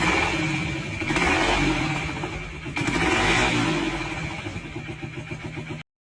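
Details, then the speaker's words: KTM 390 single-cylinder engine rebuilt after full flooding (seized rod, scored crank journal), first start after rebuild, automatic decompression valve: slow, heavy, even tractor-like chugging idle; the rebuilt engine sounds healthy. "The sound of a big single... ...is pretty much identical to a tractor."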